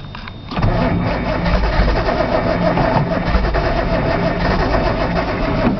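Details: Nissan Z cranked cold outdoors with brake cleaner as starting fluid: the starter churns at a steady, even pace for several seconds, but the engine never fires. Cold start valve was unplugged, the solenoid checked, and the fuel pump is heard; cranks without starting.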